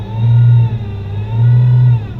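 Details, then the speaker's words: Car with automatic transmission showing internal failure; steady thin whine over engine drone while pulling, attributed to fluid starvation from lack of maintenance, P0944 suspected, transmission to be replaced; suspected transmission whine. "That is the transmission whine. So if she said no reverse, I guarantee you reverse went out on her while she was driving."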